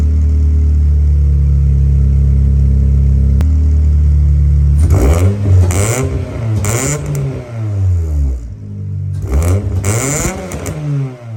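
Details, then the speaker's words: 1996 Eclipse just started after fuel pump priming, with no water in the cooling system: low uneven idle, then revs rise and fall unsteadily with a lumpy, hesitant note; running, but rough. "all right guys like you just seen she's running it's not pretty but she's running right now"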